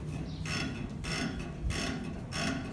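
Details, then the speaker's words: 2015 Chevrolet Silverado rear leaf spring packs squeaking rhythmically, about one every 0.6 seconds, as the springs work; to be fixed by spraying liquid grease. "leaf spring packs are starting to squeak, and right now I'm gonna show you how to fix that."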